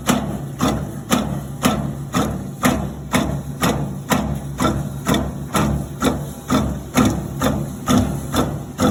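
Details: Maytag washer during wash cycle: steady thumping knock about twice a second with a low hum underneath, something knocking once per drum turn.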